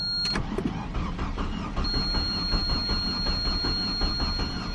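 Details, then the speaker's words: Non-running 2015 Fiat 500L MultiAir turbo with dead battery, started on a jump box: starter cranks steadily for several seconds but the engine never catches. Crank-no-start; owner suspects low compression, unconfirmed. "cranking but it ain't starting uh so first assumption almost almost sounds like uh maybe low compression type of symptoms"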